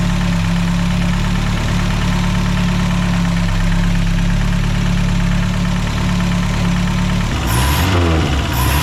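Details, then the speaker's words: Mercedes Ponton 190 four-cylinder, sitting many years, running with no coolant in the system: low, steady idle with an even beat and no stumble or knock; engine idles smoothly. "oh he right off this is a really smooth for Banger unbelievable"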